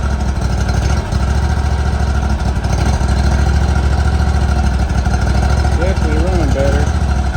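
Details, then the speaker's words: 2018 Hustler Raptor SD 54in mower, Kawasaki FR691V V-twin, first start on choke after head gasket and valve seal replacement, shroud off: smooth, even low idle with steady pulses, no tapping or misfire. "there it is going to let it Dole here a second big the smoke a little bit turn off some of that"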